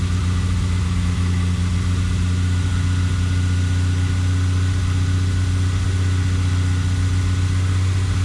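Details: Toyota Supra after cooling system rebuild (new water pump, thermostat, coolant), warm: steady, even low hum at constant pitch with no misses, knocks or ticks; normal idle.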